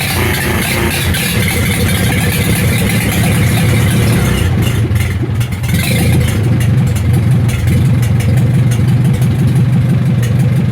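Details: Ford 2N tractor after fixing excessive oil pressure, started with choke: low, chugging idle that holds a fairly even pace, with no knocking or rattles. Oil pressure is where it should be and the engine runs healthy.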